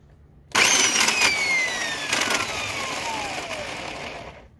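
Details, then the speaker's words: Old Black and Decker U-144 belt sander switched on: a harsh, gritty grinding over a falling motor whine that fades as it winds down. Owner suspects the gearbox lacks grease. Cause unconfirmed. "so it turned on there but uh it was kind of a weird grinding noise there i'll do that one more time just to show you what's going on"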